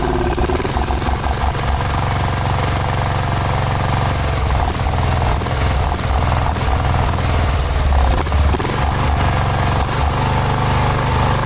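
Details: 1986/1987 Cub Cadet 1106 riding tractor, sat over 4 years, restart with carb adjustment screw ineffective: fast idle, uneven lumpy beat, occasional stumbles, not settling; owner guesses old fuel and garbage pulled through fuel line, smell improving.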